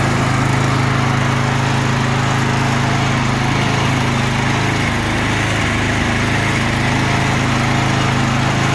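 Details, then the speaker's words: Murray 24-inch rear-engine riding mower with a 190cc Briggs & Stratton engine, after a carb clean and a flush of the tank and lines to remove milky bad fuel. It now runs with a smooth, even single-cylinder drone and no misses or surging. "Well, that got us back up and going. Just needed a carb clean, fuel tank, and a line flush."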